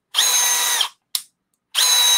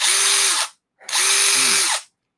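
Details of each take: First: Milwaukee M12 FUEL gen 3 subcompact drill driver with 2.5Ah battery, driving under load: two short bursts of harsh high whirring with rough edge; seemed caught between gears, grinding, cause unclear. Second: Drill run free; two short bursts of high, steady motor whine spinning up and cutting off cleanly with no grinding or rattle, a healthy drill.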